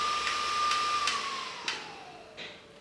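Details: Titan TTC-SC60(B) caravan ventilation fan being turned back down: clean, steady whine sliding smoothly down in pitch with no rattle or scrape; normal fan running at reduced speed.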